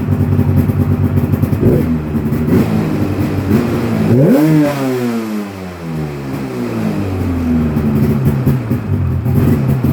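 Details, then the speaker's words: 1996 Polaris XCR 440 Special with EFI, idling steadily then revving cleanly, rising and falling smoothly without hesitation or misfire; it cut out once, possibly an ECU timeout with no ACS connected. Normal idle and revving; runs mint. "This thing runs absolutely mint for 240 bucks."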